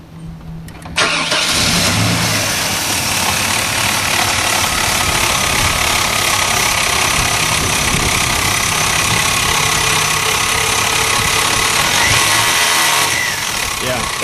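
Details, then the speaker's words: Bravada engine started on a cold winter night, settling into a loud harsh whirring grind: failed alternator rear bearing, alternator replaced. "Yeah, that's the alternator bearing."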